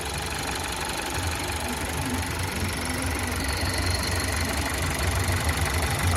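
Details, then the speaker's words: VW T-Roc 1.5 Evo petrol, warm, with a higher-than-expected RPM fault: normal steady low idle with the snapped brake servo vacuum pipe blocked by a finger. When unblocked, the air leak hisses and raises the idle. "So that's ideally what we want. Nice low revs because the engine's warm."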